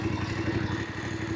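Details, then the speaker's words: Voge 900DSX twin in rain mode, crawling at very low speed off the throttle: a slight uneven bob in the low-rev beat as the fuelling hunts, mild low-speed surging and bobbling. "So yeah, again, some slight bobbling there."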